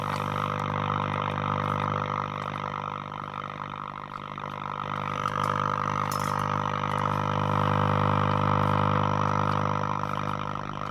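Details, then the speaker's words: Breville "Pick-Me-Up 5" valve radio during restoration, brought up on a dim bulb with HT around 107–140 V: steady low layered hum, no stations received yet. Mains hum, no reception. "I'm wanting to pick up, I think. Can't hear any stations yet, though."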